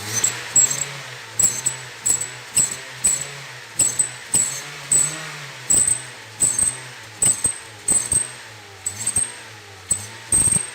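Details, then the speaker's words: Honda New Civic with original exhaust, revved with the aftermarket carbon/stainless tip removed: each throttle blip brings a thin high whistle over the revs, gone at idle; since the whistle persists without the tip, it likely comes from the muffler. "testei Sem Fronteira fez barulho mesmo assim né então provavelmente é o silencioso"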